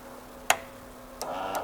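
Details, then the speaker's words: Fuel injectors from an '83 square body truck, pulsed on a bench in an ultrasonic cleaner: crisp single clicks a fraction of a second apart as each pulse fires; injector solenoids are opening properly. "that one clicks so they're working I don't know about all of them"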